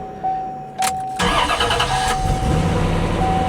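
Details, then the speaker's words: 1994 C4 Corvette with 46,000 miles that sat a long time, starting after a starter replacement: short cranking, then the engine catches and settles into a steady, even idle. It starts cleanly with nothing wrong, though it needs fresh gas. "Good. This is This is really really good."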